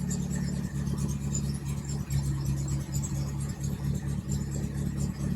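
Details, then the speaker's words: 1961 Triumph TR3A four-cylinder after thermostat housing reseal and coolant refill, warming up: slow, steady idle around 550 rpm with an even, regular beat, no knocks or ticks, about 55 psi oil pressure; normal idle. "all right so I've got it running and it actually idles pretty good sitting there idling at about 550 RPMs maybe"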